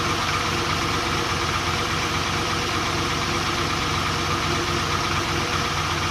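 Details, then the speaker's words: Volvo 240GLE with an LS2 V8 swap on first start after engine reinstall: uneven, lumpy idle with irregular stumbles, one dead cylinder. The number 8 coil had been swapped to number 2; pulling that plug changed nothing, touching it changed revs, and an ignition wiring fault is suspected. "Pulling this plug off made no difference to how the car ran, so I thought maybe there's something to do with this, but when I touched the plug here, the revs changed. So I reckon there's something wrong with this plug."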